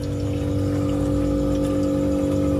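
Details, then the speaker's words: Refrigerator freezer after two compressor replacements and no longer cooling, being flushed: steady compressor hum with a watery gurgle through the evaporator; flushing continues until the gurgle disappears and the flow is clean. "itu pasti suaranya apa namanya seperti suara air teman-teman ya"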